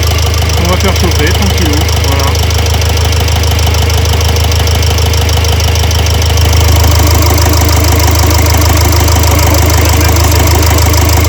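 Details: Renault Trafic 2 / Opel Vivaro, M9R780 2.0 diesel, idling while warming with cylinder 2 injector holder loosened for extraction: steady, slightly uneven knock about three per second; failed cylinder 2 piezo injector (short-circuit code) giving rough idle.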